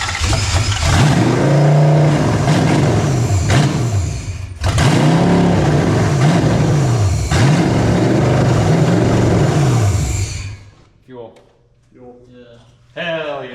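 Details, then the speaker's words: Nissan 240SX S13 with 1UZ V8 swap, third engine, first run after 24-hour swap: strong smooth revs over steady idle, then stumbles and dies, probably out of fuel; otherwise sounds really good. Normal running and revving. "It sounds really [ __ ] good."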